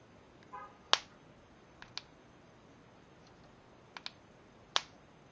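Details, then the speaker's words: Harbor Freight insect zapper, unmodified unit compared against another. A few thin, sharp snaps at irregular intervals. Weak spark. "it's it's a very weak spark where this one whoa yeah it's yeah you could you'll definitely tell"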